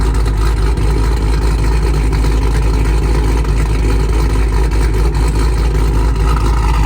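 Deep, even V8 rumble holds steady with no tapping or ticking riding on top; valvetrain sounds quiet and healthy.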